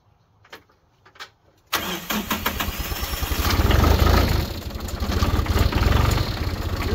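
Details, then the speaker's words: Diesel tractor cold start on a cold day after running the glow plugs: a few faint clicks, then fires at once into a deep, even chug that builds slightly; healthy cold start. "let's see how this baby cranks see if it likes the cold about as much as I do we definitely got to do the glow plugs and usually I let them sit on till the light goes"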